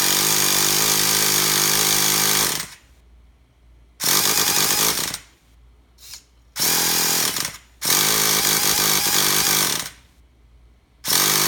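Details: Traxxas T-Maxx 3.3 nitro RC truck: several high-pitched starter bursts of a couple of seconds each, engine spins but never fires; cranks but won't start.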